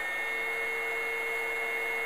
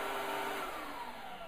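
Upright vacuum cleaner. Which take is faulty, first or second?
first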